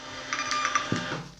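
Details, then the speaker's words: Hot Labels A300 thermal label printer printing a 4x6 label: short buzzing of print head and feed rollers lasting about a second, then quiet; normal printing. "push it down perfect ready to go the defaults four by six is absolutely fine you hit send and within a couple of seconds"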